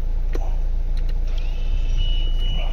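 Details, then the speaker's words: Renault Scenic 3 electric parking brake with fault DF006 (left rear caliper actuator), after a wiring repair in the passenger footwell restored 12 V to both actuators. Over engine idle, a brief whirr as both rear actuators apply and release cleanly. "sides do come on and off now, and you can hear that. So that one's all done and dusted, so all good for that."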